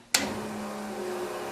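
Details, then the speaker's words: Tide Car being set up for a Weiand 6-71 blower: new Carter 50 GPH electric fuel pump with 3/8 line switched on for the first time, steady electric whine and hum as it primes and pressurizes the line, fuel flowing, no leaks; normal priming. "and there it goes should be pressurizing everything from here going see fuel is flowing through there"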